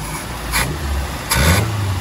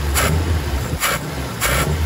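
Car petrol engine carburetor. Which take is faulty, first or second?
first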